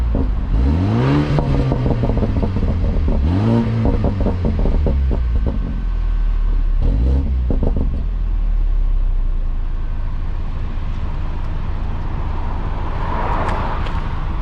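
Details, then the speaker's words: 2016 BMW 328i F30 after replacing the exhaust flap actuator clip: two quick revs swell and fall back to a deep, even burble, no rattle or buzz over city traffic. "here let me get a quick exhaust clip i'm in the city right now so don't mind the external noise but here we go foreign [Music]"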